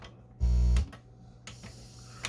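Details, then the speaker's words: Pioneer SX-205 amplifier playing DVD/CD source produces harsh, buzzy, clipped music bursts over a low hum before repair; inside is dirty with old glue that can become conductive; badly distorted audio output. "so dvd and cd oh that's not good at all all right yeah here that's a really bad sound"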